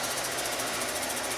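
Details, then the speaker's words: Kenmore Elite HE3t washer after repair for not draining or spinning, now draining and spinning: loud, rough, even rattling roar from the drain pump throughout the drain cycle; owner guesses something was sticking in the pump fan, cause unknown. "check listen okay that must be pump making all that noise maybe this was sticking in the pump fan"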